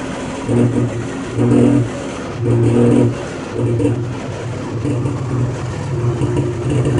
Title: Jeep Wrangler making knocking noise